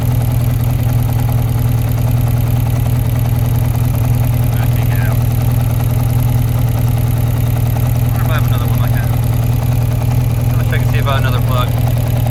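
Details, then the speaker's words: 1992 Yamaha XJ600 Seca II, cylinder two: low, lumpy idle at two to three pulses a second, like one cylinder not firing. It sparks when tested, but its plug is caked, so the owner suspects a weak spark or plug issue. Misfire. "Still same thing. All I got to do is spark on two. Pull the plug out. That happens. Sounds like it's sparking. So, it might just be a plug issue."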